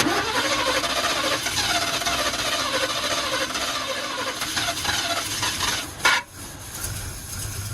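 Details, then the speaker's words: 1962 Chevy pickup V8 first running after 20 years parked, with the choke held wide open and float levels high. It runs ragged and uneven, then steadies toward idle before a brief squeal; rough idle. "I'm just watching the float level right now holding the choke wide open it's running just not that well"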